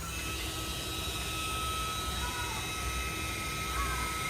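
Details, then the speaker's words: 2003 Saab 9-3 Walbro 255 fuel pump with about 200 miles on it, bench-tested with the fuel tank removed: a thin, steady high whine with a wavering edge over a low hum. The pump was confirmed bad. "So I started by getting the car up in the air on all fours, and from there went ahead and removed the fuel tank and was able to sort of test the fuel pump and confirm it was bad and making some weird noises."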